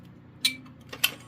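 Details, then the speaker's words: Vintage General Electric 8201-301 smoke alarm with alkaline battery: three sharp dry buzzer ticks about half a second apart in a quiet room, its low-battery dying sound. "It's got that buzzer sound effect. I really like it. Sound effect. Dying sound if you're all curious."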